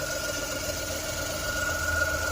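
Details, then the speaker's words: Idle after an alternator replacement, voltmeter showing the new alternator charging: thin, steady high-pitched whine over a quiet, even idle; owners say it's the belt making the sound but have no real idea, cause unconfirmed, may take it to a garage. "So the voltmeter reads that the new alternator is working. However, there is this new high-pitched sound which we have no idea what it is."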